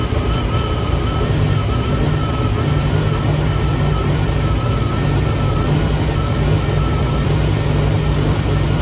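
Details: 1958 Chevy Impala 348 V8 just revived after years of sitting, fed gas directly for the fuel pump: loud, slightly uneven idle. The ignition timing was found way too advanced and pulled back, and dwell is still way off and unadjusted. Rough idle.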